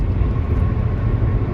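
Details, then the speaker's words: 2001 Peugeot 406 automatic cruising on toll road, normal temperature, transmission and steering: steady deep rumble with no knocks or whine, tire road roar. "cuma ada suara gemuruh bannya Beneran ya sedalam suara ban ini yang gemuruh"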